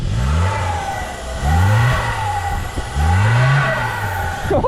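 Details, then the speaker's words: 1993 Opel Corsa B 1.4i 60 hp automatic, stopped after breakdown on highway test: three throttle blips with a thin whistle over the exhaust rising with revs; suspected exhaust fault, possibly catalytic converter or muffler venting. "No, everything seems fine here, but there's some noise at the back. I hear a whistle, something happened to the exhaust."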